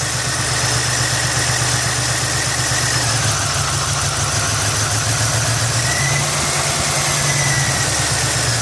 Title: 1989 Buick Century 3.3L won't start, runs then quits, rough poor idle, bad faulty fuel injector.